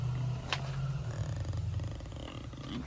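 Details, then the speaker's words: Goodman GSC140361AE rooftop AC condenser: the compressor runs and buzzes with a low, heavy hum while the fan stays stopped. The fix is replacing the failed 45.5 run capacitor. "hear nothing but buzzing. That's what it is. The condenser's running, but the fan's not."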